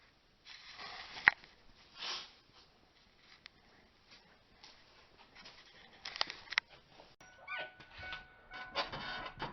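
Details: 2001 Ford Explorer Sport Trac 2WD, 4.0 L SOHC: repeated dry squeaky creaks about three a second when steering is turned, from dry, loose, worn lower ball joints letting the wheels move independently of the steering.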